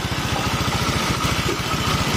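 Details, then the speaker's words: Honda Vario 125 scooter after engine teardown, thermostat shimmed, internals cleaned of burnt oil residue: even, steady low putter at about ten beats a second with no knocks or misses; normal idle. "Nyalakan ini mesinnya udah lembut suaranya dalamannya dalaman mesinnya udah bersih karena sebelumnya ada riwayat kena oli kaw"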